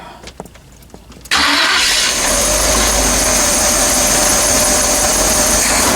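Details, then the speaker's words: 1982 Chevy G30 camper van engine with a 4-barrel spread-bore carb, just fired up with two wrong plugs; dull, lazy run before a timing adjustment. Timing set too far retarded. "Alright, so I made a timing adjustment. Sounds like I went the wrong way."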